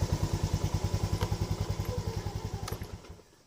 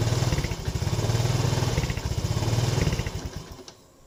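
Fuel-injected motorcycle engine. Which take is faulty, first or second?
second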